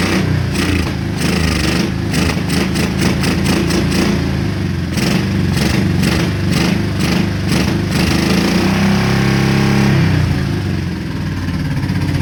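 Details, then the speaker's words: Honda Shadow V-twin motorcycle, about 20k miles on the same oil, parked 4 years; after Seafoam it fires on both cylinders again with uneven, lumpy bursts of revs that now climb and fall freely, where before it would not rev. "Man, that is unbelievable. This thing is firing on 2 cylinders again. This thing wouldn't rev up before."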